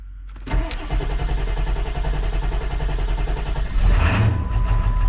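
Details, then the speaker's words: 7.3 Powerstroke diesel after turbo rebuild, new injectors, valve covers, glow plugs and wiring, first start after refuelling: quiet cranking, catches into steady diesel clatter with brief revving; normal start and idle, a boost leak is visible. "She started. Dude, now that kind of sounds normal. Huh? That sounds kind of normal right now."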